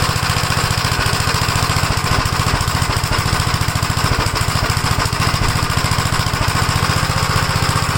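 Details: 1956 Gravely L single-cylinder engine, cold, starts first pull but idles rough and lumpy at about 210 beats a minute; vacuum leaks already checked, the carburetor is suspected and is being swapped with the one from a 1957 LI.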